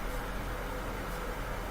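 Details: Bosch washing machine in diagnostic test mode; steady even rush of water into the dispenser's left side as the hot water inlet valve fills normally, unlike the faulty dual cold pre-wash valve.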